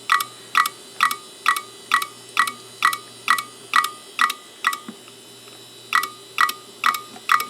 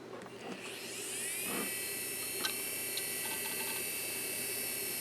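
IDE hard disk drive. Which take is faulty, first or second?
first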